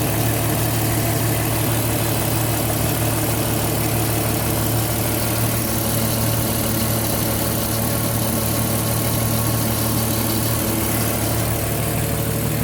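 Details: Porsche Cayenne engine at idle: a heavy, even low hum with a faint steady drone over it. Abnormal idle noise; the cause is unclear.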